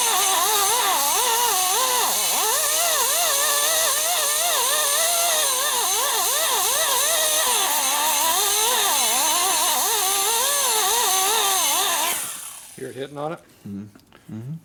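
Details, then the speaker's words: 1979 Harley 80ci shovelhead rebuild, boring a cylinder after a poor previous machining job: steady high cutting whine with wavering pitch and an uneven heavy hit about once a second, cutting only on one side; out-of-round bore being made round. "it's cutting right here. Pretty heavy. And not hitting it all over through there. And basic not over here either. So that's just making it round in there."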